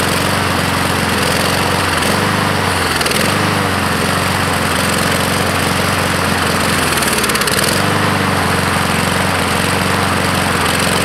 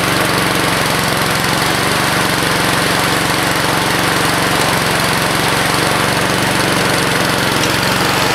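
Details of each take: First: 2014 Husqvarna HU700F mower, Honda GCV160 engine, before carb clean: runs, then repeatedly sags and hunts before picking back up, surging and stalling; fuel starvation from main jet likely clogged by flakes and crusty pieces from the float bowl. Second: 2014 Husqvarna HU700F self-propelled mower, Honda GCV160 engine, fresh gas in previously empty tank, no carb clean: steady single-cylinder putter at fast even beat, no misses or surging; clean, healthy run.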